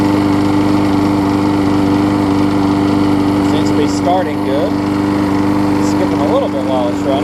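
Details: Husqvarna mower with aluminum deck and a transplanted engine, after a new gas tank, a replacement carb and a tune-up, started after priming. It holds a steady, even drone at constant pitch without misses or surging, running smooth and healthy.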